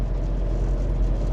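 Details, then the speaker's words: 2002 Citroen Berlingo HDi diesel cruising near 50 mph at about 1400 rpm, after fixing rear tailgate rattle with a small piece of metal: smooth low drone, no buzz or rattle from rear. "there is not a hint of it so and it was every single time yeah that that little small bit of metal has made all the difference"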